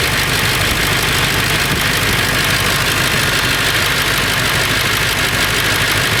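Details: Late 1999 Ford F350 7.3L Powerstroke diesel idling roughly with a loose metallic rattle over the clatter, more pronounced under the truck; source unconfirmed, owner suspects flexplate or engine.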